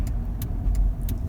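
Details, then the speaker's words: Dodge Grand Caravan driving: faint high metallic chirps about three a second over low road rumble, the brake pad's metal wear indicator touching the rotor, meaning pads are low and need changing. "that's this little metal piece located right on your brake pad well the front and rear usually have one yep that that's what I'm talking about when that's there to tell you when you hit the rotor you need breaks you're pretty low get them changed this is what it sounds like"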